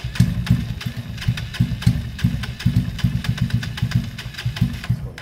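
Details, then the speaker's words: Kawasaki KSR GRS 125 after carb cleaning (pilot and main jets had been partly blocked; carb still overflowing fuel): uneven, lumpy idle with irregular low thumps and stumbles, straight back to the earlier fault; owner concludes a new carburetor is needed. "that carb looks fine uh it's gone straight back to how it was before on that carb"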